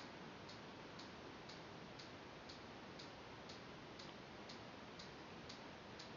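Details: TI CBR 2 motion sensor connected to a TI-Nspire, green light on: crisp, evenly spaced ultrasonic clicks twice a second over a quiet hiss as it pings a book about 15–18 cm away; normal operation.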